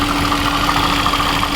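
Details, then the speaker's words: Mercedes C63 AMG W204 M156 idling after drive belt and idler pulley replacement; noise much reduced, but a faint steady whine remains from the water pump pulley bearing. "Yeah, it is the water pump. The water pump pulley is making a little bit of noise."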